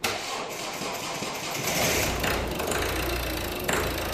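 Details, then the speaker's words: Car engine started right after a fuel filter replacement stumbles unevenly for a second or two, then smooths out. This is a brief misfire from an airlock in the fuel line after the new filter; afterwards it runs perfectly. "a little bit of a miss there and that's what you might get as well"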